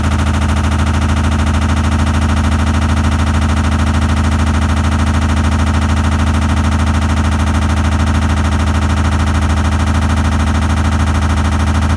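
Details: Samsung washer, after all recall work and drum replacement, spinning; fast heavy banging about three knocks a second over a deep rumble; drum banging during spin.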